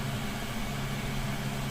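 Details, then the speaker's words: Newly installed Chinese diesel air heater in a van, first run and heat coming out: loud, steady low roar with an even whooshing hum and no surges or knocks; burning normally. "Wow. It's loud, but that's the price you pay to have heat."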